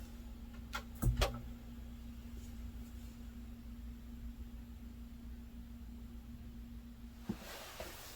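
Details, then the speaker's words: Restored and modified Dynaco SCA80 amplifier after replacing the failed filter capacitor, adding main supply capacitance, a slow-start circuit and a capacitance multiplier, powered on with no signal; faint steady low hum audible only with an ear at the speaker, plus switch clicks; acceptable. "It's still got an audible hum, but you have to have your ear up next to the speaker to hear it, so I think that should be fine."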